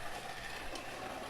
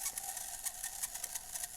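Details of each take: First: Tyco Mantua B&O model steam locomotive with a five-pole motor, unrun about 50 years, after disassembly and cleaning of oxidized contacts. Running on track at roughly 65% power, fast, with an even motor hum and faint rail-joint clicks. Normal running. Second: Tyco Mantua steam locomotive unrun for 50 years, with oxidized contacts: once powered directly it runs with a faint, rapid dry ticking and buzzing, about eight clicks a second; the mechanism is not yet lubricated.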